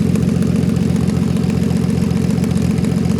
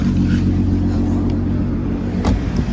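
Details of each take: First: VW Golf R32 Turbo (MK5) on first start on a cold morning after the cracked exhaust manifold was welded and refitted without a new gasket. Steady idle with fast, even ticking puffs; exhaust leak between head and manifold, reseal planned, possibly with a new gasket. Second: MK5 VW Golf R32 Turbo after resealing the exhaust manifold to head joint with turbo and downpipe refitted, first start: steady, even idle with a deep exhaust note from the rear, no front leak, knocks or rattles.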